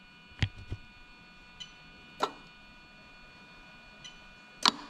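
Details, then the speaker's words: Toyota 1JZ-GTE VVT-i (JZS171 Crown) engine swapped into an Altezza RS200: four sharp, isolated metallic clicks a second or two apart as the AC compressor clutch pulls in and releases normally. "okay so if you take a good look at the clutch okay yeah you can actually hear it and i'm thinking because i can actually see it going in and out hopefully you can as well"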